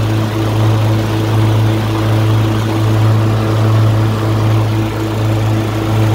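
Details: LT1040 riding mower after valve cover gasket reseal with silicone and pulley replacement: steady even low drone, no misses or knocks, smoke gone; running healthy.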